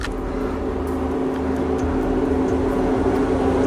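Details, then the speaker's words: New water pump from a Continental ContiTech timing belt kit (GMB-made) for a Honda V6, pulley spun by hand: a smooth, even hum with no grinding or roughness. It sounds good; the bearing spins normally. "Give it a spin, make sure it sounds good."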